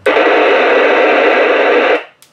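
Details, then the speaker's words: Raspberry Pi powered from a wall-wart switching supply beside a radio. Loud steady hiss and crackle swamps the radio, then cuts to near silence; RFI from the Pi setup that disappears when it runs on a 5 V 2 A battery pack instead. "radio goes crazy so the pi is generating rfi right something in the pi setup is generating rfi"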